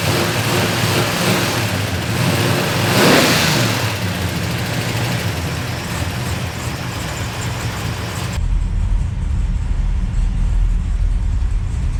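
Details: Numbers-matching Dodge Charger 500 V8, revved before a drive after new brake lines: climbs through the revs and settles back cleanly, even firing, no knocks or misfires; normal revving, sounds healthy.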